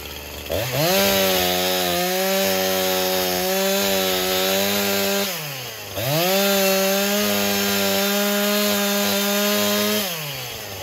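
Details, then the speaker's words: Husqvarna 346 XP chainsaw after cleaning the scored cylinder and fitting a new piston and ring, cutting wood: revs up cleanly, strong steady scream through each cut, drops back smoothly; runs healthy, idle slightly high. "not so much a lemon anymore guys this thing is awesome let me start it up show you cutting here"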